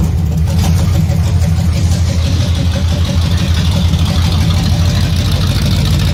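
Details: Removed 454 big-block (7.4L) V8 from a 1974 Nova, over 37,000 miles, running on a stand: deep, strong rumble, steady and even with no stumble or miss; healthy, nothing wrong.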